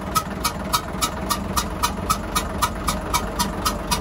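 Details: Hyundai 6D16 diesel, restarted with injector lines loosened one by one, still blowing lots of air. Sharp rhythmic hissing puffs, about four a second, keep time with the idle: blown head gasket.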